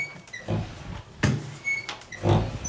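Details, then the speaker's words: Squeaking door hinge as the door swings, checked before painting the doors: short high-pitched squeaks with low thuds, dry metal-on-metal rubbing between the hinge knuckles, not the door hitting the wood; greasing the hinge is the fix. "that's because in between the knuckles somewhere it's it's doing that it's not hitting the wood or anything"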